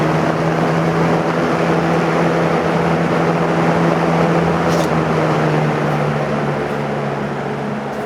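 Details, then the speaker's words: Oddball fan with a Lasco plastic motor housing, rebuilt after motor bearings bound out of alignment: steady low motor hum and even airflow, no scraping or binding; normal fan running. "these fans it has a really good startup sound"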